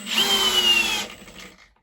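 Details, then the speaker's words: Milwaukee Gen 3 hammer drill/driver (2804-20) driving a screw into wood: steady whir under load for about a second, then the clutch slips out and stops short of seating the head; possibly hitting a knot. "and you can hear that clutch right there at the end so it didn't quite didn't quite get it uh tight to the actual head there it was real close though really close and that clutched out"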